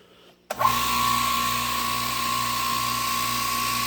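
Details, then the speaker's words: California Air Tools 10020C compressor, initial startup pumping up to pressure; starts abruptly, then a steady hum with an even high-pitched whir, quieter than an old pancake compressor; a slightly odd noise noted; normal running. "I don't know if you could tell how loud it probably is on the video, but it's a lot quieter than that old pancake over there."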